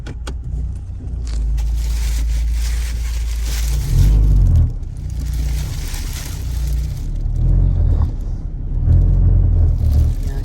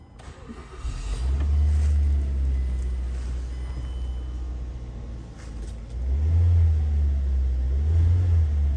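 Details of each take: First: 2007 Mazda driving and shifting gears: heavy low droning rumble and strong vibration and rattle in the cabin; mechanic suspects a weak engine mount, later replaced. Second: 2007 Mazda after an engine mount replacement, for a customer complaint of rattling and vibration while driving and shifting: the engine starts and revs twice with a deep, even rumble, no more rattle.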